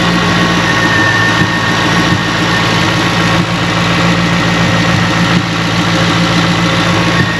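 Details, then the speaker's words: C5 Corvette V8, about 330,000 miles, check engine light on, aftermarket intake: steady low idle with a faint occasional stumble. Owner suspects a slight misfire from spark plugs or wires. Rough idle. "like it has a little misfire probably i need to do the spark plugs on it wires but that's here"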